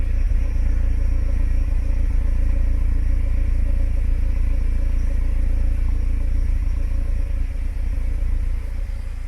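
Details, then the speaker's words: Warmed-up VW Gol with flickering oil pressure light, listened at the exhaust: steady deep rumble with uneven stumbling beat about 3.5 pulses a second pointing to a misfire; cause unconfirmed, oil pressure switch or engine fault being tested. "look at how this car is failing, I'll show you here on the exhaust, it's easier"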